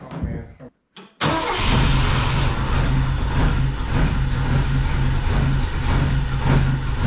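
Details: Saab Sonett cranks on the starter with a steady pulsing whir but never catches; spark reaches plugs one and four, but the distributor went in 180 degrees out, so ignition timing is off and the distributor must be flipped.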